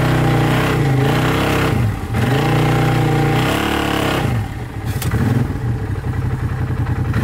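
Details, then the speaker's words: 2012 Arctic Cat Wildcat 1000 side-by-side doing donuts and drifting hard in snow: strong engine revving up and down with clean even pulls, no knocks or misfires; normal under hard load. "I'm going hard on this thing, doing donuts, just drifting this thing hard, and it's not breaking."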